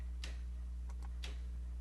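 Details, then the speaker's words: Model railway turnout switch machine on a Rocrail layout run with an NCE Power Cab (switch 2, node 34, address 15), operated from the software, gives sharp clicks about a second apart over a low mains hum; actuating normally. "If we come here, go to operate, you can hear the switch actuate."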